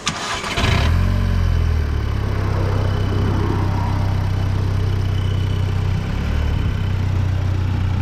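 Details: Audi S3 (thought to be 8P) with a misfire, after new spark plugs and R8-style coil packs replaced sooted plugs: engine catches quickly and settles into a steady, even, low idle with no stumble or miss; normal start and idle.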